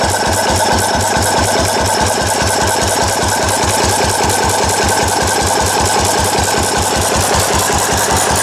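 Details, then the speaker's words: Restored 4 hp Cushman Binder single-cylinder engine with wide flywheel, original paint and tank, started stone cold after priming: steady even chuffing about two and a half beats a second, no knocks or misses; runs well after restoration. "okay here's the final video on a four-horse Cushman the rest restore to running is complete the engine runs good it came out pretty well"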